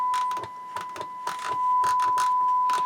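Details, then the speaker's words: 1970s Marantz 2250B receiver on the bench after cleaning and alignment: a steady, pure 1 kHz test tone fed into the auxiliary input plays clean with no hum or distortion, with some handling clicks around it. "but here's the auxiliary we've got one kilohertz tone coming in and everything seems good"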